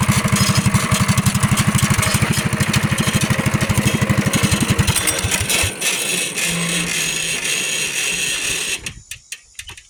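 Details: Axis 200 mini bike, single-cylinder, fitted with a thumb throttle: pops along in a steady, quick beat, blips up cleanly, then shuts off; engine runs healthy.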